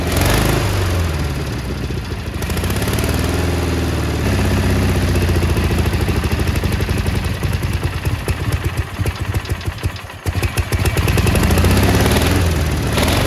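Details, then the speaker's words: Cub Cadet 1430 lawn tractor, sat abandoned for years with fuel gone red, first start after ether: small engine hunts up and down at idle with a ragged beat, burning off debris, doesn't like idling; owner suspects one side misfiring. Surging rough idle. "there she is look at that it's surging a little bit but it's burning off all the crap that was on it it smells so bad she don't like uh she don't like idling"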